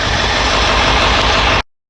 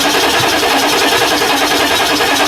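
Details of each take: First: 1999 Ford F350 7.3L diesel, first start after injector cup replacement, slightly hydrolocked beforehand and heavily smoking: steady, even diesel clatter at idle with no stumbling or misfire, then a clean shutoff; healthy. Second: 1999 Ford F350 7.3L diesel just after injector cup replacement, hydrolocked from oil left in cylinders and turned over by hand; after starting, loud uneven clatter with harsh rattle and heavy smoke while it clears: rough running after start.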